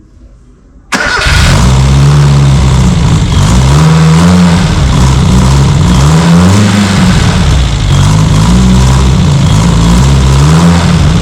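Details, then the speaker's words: Austin 7 Special rat rod engine, sat 15+ years, start after fuel leak fixed: catches after short crank, settles to steady even low idle, no obvious knock; owner earlier suspected big-end bearing noise, condition unknown. "So, there you go. Uh, that's not too bad, I suppose. I'm not sure about the condition of the engine, but it does run."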